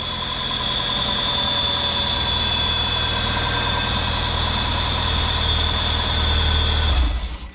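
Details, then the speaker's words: 1997 Mitsubishi Eclipse GS-T idling right after starter replacement fixed metal-to-metal cranking noise: smooth steady idle, even low hum with constant high whine above, no clatter or miss; normal idle. "all right i actually consider this a fix so yeah if you're having a weird funky noise issues when you guys are cranking the car over um you might want to start with starter instead of doing what i did"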